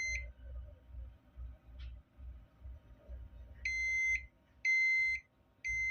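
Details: Old PC at power-on: three clear high-pitched beeps about one second apart over a dull low thumping; a three-beep startup buzzer error, cause not identified.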